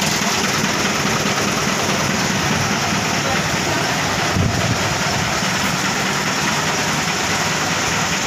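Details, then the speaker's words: Mitsubishi Colt Diesel FE 1981 truck, new direct-injection 100PS block replacing indirect original, no glow heater needed, freshly started: steady, even idle clatter with no misses or knocks, smooth; a slight hose leak noted at the clamp. "suaranya halus itu ada bocor tipisnya magnet tiketnya Kencangkan di bagian klem slang nya"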